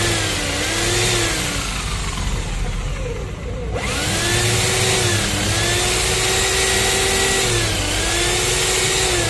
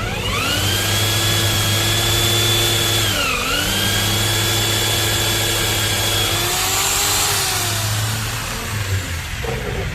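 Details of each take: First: 13mm impact drill that won't hammer, in plain drill (steel) mode pressed against the work: steady electric whine that sags and recovers under pressure, smooth with no hammering. Normal in drill mode, but concrete mode sounds identically smooth. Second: 13 mm impact drill in concrete (hammer) mode pressed against a workpiece sounds as smooth as in metal-drilling mode: steady whine under load, no rough hammering rattle or vibration, so hammer mode isn't working.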